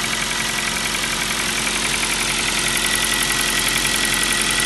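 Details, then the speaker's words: Kia Rio 4 with 1.6 engine at steady idle: fast, even light knock, about four per second, over a bright engine note. Piston slap, the same sound known from the Kia Rio 3. "старый знакомый звук. Звук поршней Kia Rio 3. А у нас Kia Rio 4. Все осталось."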